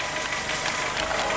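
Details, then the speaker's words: Audi 80 petrol engine idling cold after the distributor cap was corrected and the plug leads swapped back; even idle with light regular top-end camshaft patter, no stumbling; rotor still due for replacement; normal idle. "А до речі тишина не жужить є ще парагальош Отак має працювати двигун ну щоце холодне"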